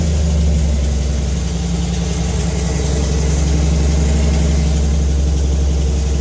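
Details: Faint, fairly regular light tick, about three or four per second, under a steady idle drone; it started today and the owner suspects lifter tick, not certain.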